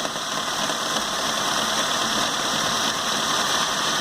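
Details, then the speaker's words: Peugeot 206 after front-end collision bodywork, petrol engine cold idling with a busy, hissy rattle from the accessory belt side and very rough, uneven running; hose visibly vibrates, noise seems to come from the alternator, power steering pump possibly new. "E parece que de quando ele saiu da funilaria lá ele reclama de barulhos aqui no lado da correia mas ele é um carro que tá com funcionamento aí horrível tá?"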